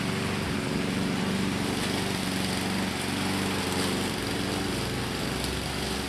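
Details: 2014 Husqvarna HU700F self-propelled push mower, Honda GCV160 single-cylinder engine, after carburetor clean and general cleanup: steady, even buzz at constant speed with no surging or misfire; normal clean running.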